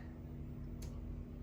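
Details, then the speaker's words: Haier 1.6 ton heavy-duty split inverter AC, about 11 months old, during automatic self-cleaning: steady low fan hum with soft tuk-tak clicks from inside the unit; normal self-clean ticking. "सो यहाँ पे आप सुन सकते हैं टुक टाक करके कोई अंदर से आवाज़ आ रहा है, यानी कि सेल्फ क्लीन हो"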